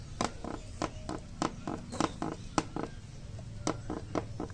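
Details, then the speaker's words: Royal Enfield Meteor 350 plastic side panel: irregular dry clicks and creaks in short bursts, about three a second, heard when reversing the bike as the panel flexes. Build-quality issue that a metal panel like the Classic's would avoid. "है अब यह जो आवाज है यह आपकी plastic व जाता है अगर यह मेडल को है जैसे क्लासिक आपको मेडल का मिलता है मैटल का यह मिलता तो यह जो नोएडा वह प्रॉब्लम होता है"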